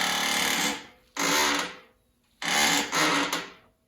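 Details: Motorcycle rear suspension before repair: three loud, drawn-out squeaks, one each time the rear is pushed down, from a seized shock bushing; the shock was removed to diagnose and fix it.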